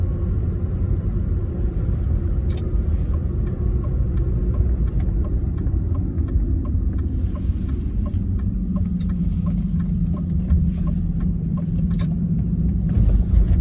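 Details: BMW E36 with 220k miles: a loud, deep droning rumble under the car holds steady as it rolls, with a hum rising midway, from a worn driveshaft center support bearing; replacing the bearing cured it.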